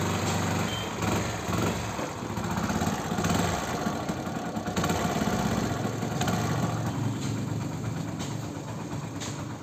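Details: Hero Splendor Plus after the head was opened and an O-ring replaced to cure a whistling and puffing noise on acceleration. It settles into an even idle and picks up cleanly on sharp throttle blips, with no knock or rattle left.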